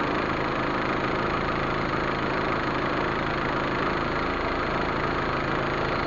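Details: Proton Waja MMC, returned idle (stepper motor) valve tested on car after base timing set: step drops to about 20, rpm around 800, smooth even idle with no knocks, misses or hunting; normal idle.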